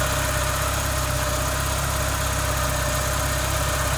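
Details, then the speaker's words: 1986 Porsche 944 with random no-start, right after both new sensors installed: fires right up and settles into a smooth even idle, no knocks or misses; old sensor believed the cause. "oh yeah she fired right up so it's looking like that sensor was the issue"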